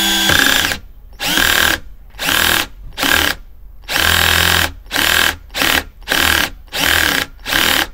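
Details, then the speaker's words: Parkside PBSA 12 D4 12V cordless drill (28Nm, 19-position torque limiter) on a freshly charged battery at torque setting 13 driving screws: short motor whirs ending in fast ratcheting clicks as the clutch slips at its limit, increasingly. "Torque setting 13 And here some clutch slipping occurred Slipping again more and more"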